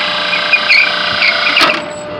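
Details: Three-phase 460–480 V exhaust fan motor, reported as never working, run briefly with the belt on; a harsh, high-pitched whirring buzz, cut off in under two seconds, comes from bad motor bearings.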